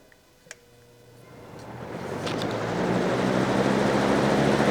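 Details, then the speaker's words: Trash-day fan after repairing a dog-chewed cord, run once it dried out from being sprayed with water: switch click, then a smooth hum rising evenly as the blades spin up, no rattle or scrape; it works fine. "listen to that baby go and you thought I was crazy for spraying it with water medium low high fan works just fine"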